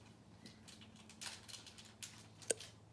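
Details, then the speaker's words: New engine, purely mechanical distributor, near top dead center, ignition on while setting initial static timing around 12 to 14 degrees: one faint sharp tick over quiet room hum as the spark fires, marking distributor position. "so with the ignition on see if you can hear this click that sets our initial static timing"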